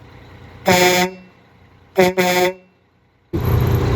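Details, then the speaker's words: Freightliner FLD120 with newly installed replacement air horns, tested after air pressure built up: one long, loud, bright blast, then two quick blasts, each clean and steady in pitch; the horn works properly. "Okay, I think we got air build up. Let's try it. Okay. Holy moly. That sounds good, Chinese stuff."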